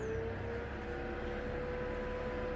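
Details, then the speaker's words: 1993–02 F-body with stock electric fans fitted as pushers on a stand-up radiator, run via scanner fan test; steady even whirring hum, no rubbing or ticking, noticeably more airflow than previous fans: normal cooling fan operation. "there's a lot more air coming through there than the other fans"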